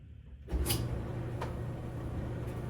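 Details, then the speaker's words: Stackable Frigidaire/Kenmore dryer after replacing the worn drum bearing: brief start-up thump, then a steady low hum with light clicks and no squeal. Normal dryer operation. "Yep. Sounds great."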